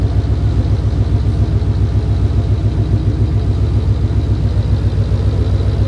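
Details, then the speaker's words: Coyote V8 swapped Fox-body wagon with a stick shift, idling after its first start while coolant is bled; deep, even burbling idle with steady rhythm, no ticks or stumbles, healthy and smooth. "yes, ladies and gentlemen, Mr. Hankey is alive and well and doing coyote stuff."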